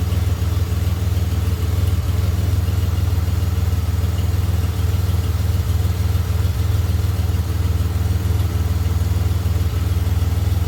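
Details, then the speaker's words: 2007 Pontiac Grand Prix V6 idling smoothly after failed valve seals and reman heads with stainless valves, no longer burning oil; low even hum with faint top-end tick from lifters or rockers; coolant about 181°F with 180 thermostat; normal idle. "a little boy not burning anything off the power logs anymore they're like the lifters or the Rockers are just a little bit noisy sounds good"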